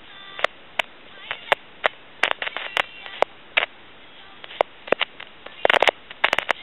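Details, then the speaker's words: Tele Concepts telephone handset, with a potentiometer in the microphone feedback circuit. Irregular crackles and sizzling pops over quiet line hiss get worse when the pot is touched: a noisy potentiometer, which may be replaced with a fixed resistor. "potentiometer and you can hear that sizzling and cracking from that potentiometer"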